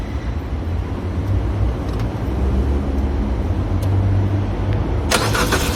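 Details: Citroën DS3 that won't start when cold but starts fine in warm weather: steady low starter churning for seconds without catching; owner suspects coolant temperature sensor, disconnecting Valvetronic helped slightly; unconfirmed.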